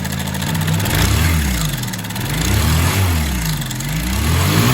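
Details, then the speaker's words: Honda motorcycle single with a loose, uneven chattering rattle that rises and falls with revs; the cam chain is found slack, and lubrication seems low, so the oil pump and oil passages are to be checked. "De cara, pessoal, já verificamos que a corrente de comando tá folgada, ó."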